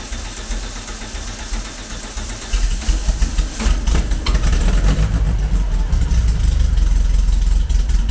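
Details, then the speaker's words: Classic VW Beetle with EFI conversion, after correcting the fuel pressure regulator installed backwards and revising the map, before warm-up: low rumbling idle steadies after rough start, slight unevenness remains; fuelling still not right. "Still not perfect, but it's ticking [Music] over. Hey, now we're talking. Now we're making progress at last."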